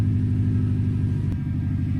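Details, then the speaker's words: 1997 Subaru GC8 with STI engine swap, just started after long sit, cold: even fast rumble idling a bit high, no stumble; new check engine lights on, owner unsure why, maybe an unplugged connector. "it's definitely idling a bit high right now and i didn't have those check engine lights before so i'm not sure why they're on right now"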